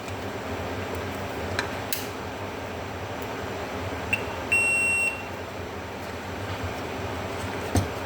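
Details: Air conditioner control board buzzer: one clean high-pitched beep about half a second over faint room hiss; the buzzer is sounding properly.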